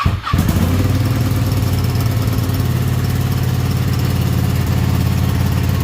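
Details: Ducati 959 Panigale race bike with a crank-no-start and misfire fault, cranked on a low battery after a part was cleaned as an experiment. After a brief crank the twin catches and settles into a steady, even throb with no misses, running clean.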